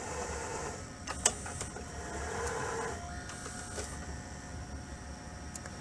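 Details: 1996 RCA VR652HF VCR after repair of gooey belts and PCB damage. Soft whirring with light clicks and clunks as the tape threads and plays with video; the transport sounds smooth and unforced.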